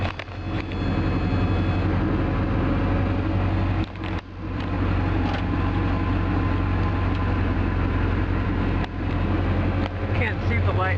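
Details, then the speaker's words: 1980 Triumph TR7 with new carbs still needing tweaking. It was hard to start, possibly a little flooded, then idles with a rough, loud low rumble and an uneven rattly patter. Cause of the rattle not identified. "all rattles but it sounds cool so yeah there we go in a nutshell that's my triumph uh tr7"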